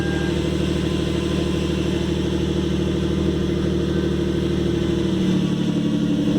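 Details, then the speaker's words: 2013 Hyundai Genesis Coupe 3.8 V6 Track, manual, after replacing the failed power steering pump and bleeding the system: steady smooth idle, even low rumble, the earlier pump whine gone, a successful install. "all right so as you can see yeah that one is that uh winding noise is gone from the power steering pump so it looks like it was a successful install"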